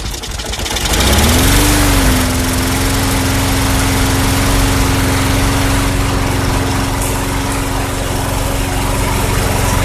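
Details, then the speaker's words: 2006 Craftsman 917.376160 push mower, tank nearly bone dry, running after carb cleaner was sprayed in: the single-cylinder engine catches, revs briefly, then settles to a steady, even buzz at constant pitch, so it runs fine. "okay well the engine runs actually it sounds good I have no idea what it's running off of that tank was bone dry pretty much"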